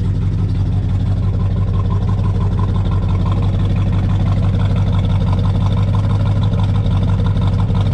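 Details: 1969 Chevelle SS V8, restored 23 years ago, factory exhaust, cold start: fires right up into a deep, even burble with steady lope at idle, no misses or knocks; healthy.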